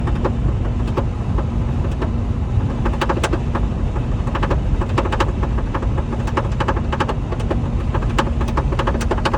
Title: Lincoln mkz rattle noise passenger side